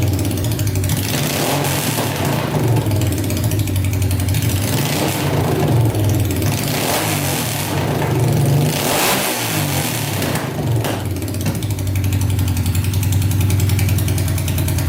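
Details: Honda 500cc engine swapped into a tractor, running after coolant was added to check for leaks, following a wiring repair: very loud bark that revs up and settles back smoothly, with no stumbling or misfire between blips; running fine.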